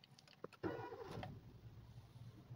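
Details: Maruti Suzuki Swift Dzire new-model petrol engine, after new engine mountings fitted to fix vibration and noise at start (pulley bearing was suspected at first): short crank, clean catch, quiet even idle with no knocks or rattles; problem solved.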